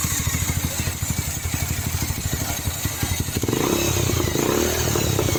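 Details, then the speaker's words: Bajaj 180 motorcycle after replacing valve stem seals, loose cam chain and tensioner rubber: even thumping idle then clean rev, no rattle or ticking from top end; healthy. "Pasangin, tinggal kita hidupin dan kita dengar suara mesinnya ini bro. Ini setelah kita ganti payung klep, rantai klep sama karet tensioner ini bro."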